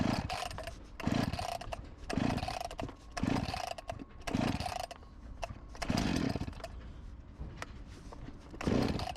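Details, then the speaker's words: Husqvarna 254 G chainsaw, after carb refurbished and fuel line replaced, final test just after choke off: buzzy idle with revving bursts, settling fairly even but a bit fast; idle slightly high, near clutch engagement. "Will it idle? It does - and it sounds quite good, maybe a little high idle speed"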